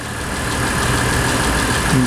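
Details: Mitsubishi Pajero 3 GDI idling, fuel pressure reading about 2.8–2.9, before the high-pressure fuel pump inlet filter is replaced: a steady, even idle hum with no misfire or knock. Normal smooth idle.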